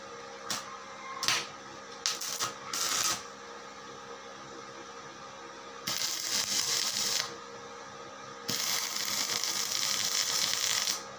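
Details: Daesung ARC120E 900 W stick welding transformer, over two years old, welding solid steel at about 95 A: a few short strikes, then long steady crackling hiss with no sputter or popping; rod burning evenly, healthy arc.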